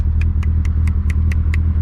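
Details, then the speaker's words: SR20 S13 240SX with built head, JWT 264 cams, GTX2871R turbo, just after downpipe install, driving: sharp, even ticks about four or five a second over engine hum, much louder than before; cause not pinned down. "i know what it is but like it's just really loud compared to before so okay yeah that's full power now oh"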